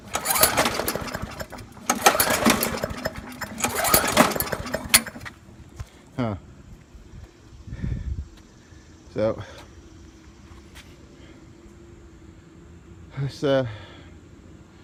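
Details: Trash-picked Poulan Pro lawnmower, previously hydrolocked from overfilled oil, now with oil in range and primed: pull-start attempts catch in ragged uneven bursts and die instead of settling; fuel starvation from a dirty carburetor.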